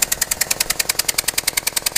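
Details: Mitsubishi Evo VIII started after over a year stored in a garage, running rich and holding idle; sharp regular metallic ticking about nine per second; knock at idle, cause unknown, owner has electronic suspicions.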